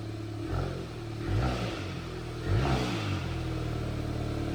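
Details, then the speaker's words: Salvage auction car rebuild, just after its first start following dead batteries and charging: light cold revs. Three clean blips rise and fall over a smooth cold idle with no rattle or knock; engine healthy, runs like a dream. "Let it run, let it run. There you go. Hey, sounds good. Let's go. Yeah, give it a little light cold rev."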